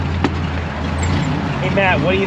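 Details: 1926 Maxim fire truck after water return neck replacement, ignition work, oil pan removal and fuel system repairs, started with fuel turned on; low steady idle, even beat, no misses or knocks, voices nearby — normal idle.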